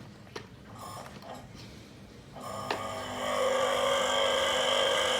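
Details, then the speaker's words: 230V single-phase three-wire AC motor of a diesel/water pump, idle for about two years, test-run open after disassembly and cleaning: handling clicks, then a steady even hum and light whir with no grinding. It runs normally. "donc je peux déjà dire que mon moteur fonctionne"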